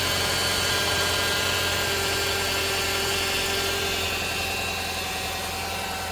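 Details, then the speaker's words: 2008 Nissan Versa CVT after slipping out of gear, stepper motor code stored: steady high whine of constant pitch over a smooth idle at startup; CVT transmission whine. "Like it just sort of slipped out of gear a couple times, and I hear this loud whining when I start it."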